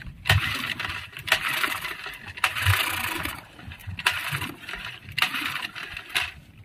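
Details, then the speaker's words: Yamaha 15 hp outboard, hard to start despite good ignition, primed at the carburetor; repeated short ragged bursts about a second apart, catching and dying; leaking head gasket diagnosed, coolant flow was very strong before failure. "Ada tanda-tanda mau hidup tapi tidak bisa terus. Penyakit seperti ini sih tidak salah lagi ketika saya bilang di bagian packing cock yang bocor,"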